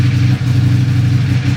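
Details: Buell 1125R motorcycle at idle; low idle thump with uneven beats and a couple of sagging firings in under two seconds. Rough idle.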